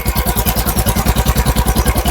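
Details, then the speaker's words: Royal Enfield Bullet BS6 single-cylinder petrol motorcycle, mic held close: fast idle with thin metallic "chhan chhan" jingling chatter on each firing pulse that owner says never goes away. Metallic chatter at idle. "आ रही है ना आवाज। बिल्कुल। तो ये छन छन की आवाज है दोस्तों, ये इसकी नहीं जा रही है, तो ये मुझे छन छन की आवाज बहुत ही बुरी लगती है।"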